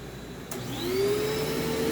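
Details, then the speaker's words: Vintage Simplicity/Riccar-type vacuum running, bent base plate, bumper refitted: thin steady squeal rising and holding over the motor whir as it spins up, drive belt slipping on the pulley; otherwise quiet. "But yeah, so you are going to hear the belt slip, but other than that, it does kind of work."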